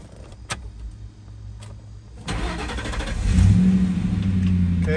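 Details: Ford Mustang, crank-no-start with flashing security light, after replacing the transceiver and reusing the old cable; cranks briefly, catches, settles into an even idle with a steady low hum; keys now work; normal engine start.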